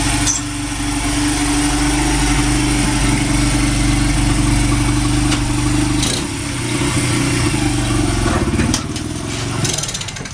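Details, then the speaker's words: Honda CRF80F that had sat a while, running after a new NGK spark plug and fresh gas, choke on, in neutral: it catches and settles into a fast, even idle with steady popping exhaust; runs smooth. "Pretty smooth. The choke is on. Yeah, but that sounds pretty damn smooth. It's a neutral too."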